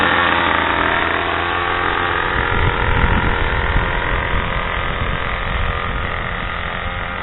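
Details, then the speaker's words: Craftsman/MTD 2014 25cc two-stroke curved-shaft trimmer running outside after a new Walbro carburetor 753-06190 and mounting gasket were fitted, original fuel lines kept; strong, steady buzz holding speed without stumbling or surging; runs solid. "I didn't have to replace the lines on it may have to in the future but it runs solid now"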